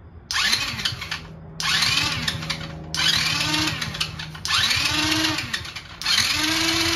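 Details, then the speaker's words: 50cc Kazuma Meerkat quad, first test fire on starter fluid during the rebuild. The small single catches in short buzzy, revving bursts with no knocks or grinding. The engine runs fine and sounds really nice. "ready to go sounds like it's running pretty good too honestly anyways uh I'm gonna call that a night that engine sounds really nice"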